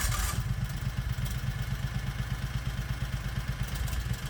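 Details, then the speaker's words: 670cc Predator twin in a 1969 Renault R10 with dual 24mm OKO carburetors, idle dropped below 950 rpm: low, uneven idle thumps that miss and stumble as the compression release kicks in. Stumbling idle from the compression release. "now listen to the engine and you can hear it stumble that's the compression relief kicking in"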